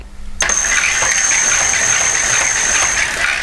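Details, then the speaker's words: Homemade ebike driven by a car alternator motor, throttle twisted: high steady whine with scratchy rattle, creaking and droning; sounds rough but runs and goes well. "worry too much about all like creaking and droning noise yeah I know it sounds a bit rough but it actually goes alright"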